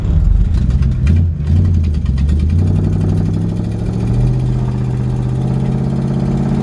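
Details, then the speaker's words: 1963½ Ford Galaxie 500 XL with rebuilt 289 small-block V8 (originally a 352 car), just started: lumpy idle with a light rapid tick on the exhaust note, a small exhaust leak. "it does have a little bit of an exhaust leak"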